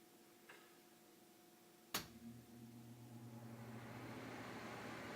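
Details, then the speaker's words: Trane air handler, installed 2002, manufactured December 2001, heat pump in cool mode, started at breaker: sharp relay click, then blower spools up to a soft, steady rushing hum with no rattle or squeal; very quiet, normal blower operation. "Very quiet. Works pretty good, so let's take a look at the heat pump outside."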